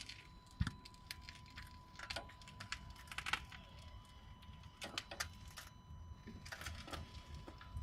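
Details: Car recorded from underneath while the steering is turned from full right to full left: scattered, irregular sharp knocks and clicks. The driveshaft is new, and the crank and gearbox pump oil seals were changed; cause unknown.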